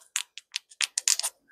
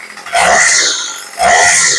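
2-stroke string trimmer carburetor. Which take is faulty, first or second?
first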